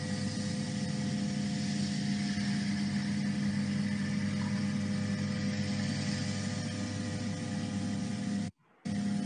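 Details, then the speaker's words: Stable milling cut on a lightweight tube structure, monitored by a sound sensor: steady even hum with constant low tone and no shrill squeal, sound pressure about 0.05 Pa versus 35 Pa during the 5,800 Hz tool chatter; normal stable cut. "Okay, in this case, you can see the sound pressure is very low compared to the chatter sound pressure. Here is 35 Pascal compared to 0.05 Pascal."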